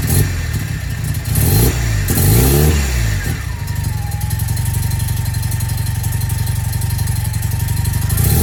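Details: Mazda FD RX-7 after a makeshift repair of an exhaust leak with cut stainless patch: a few quick blips, then a smooth, steady idle with no puffing or ticking; exhaust sounds sealed and the engine runs healthy.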